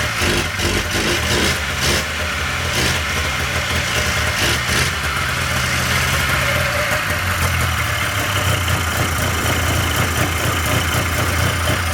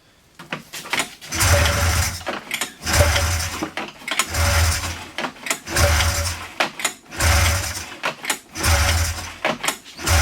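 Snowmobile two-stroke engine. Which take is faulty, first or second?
second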